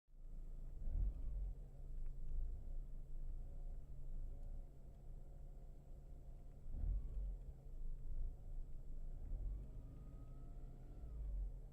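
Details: Mercedes W211 E200K rough idle: after briefly pressing the accelerator, revs drop and keep surging and sagging for some time; no pulsation above 1500 rpm.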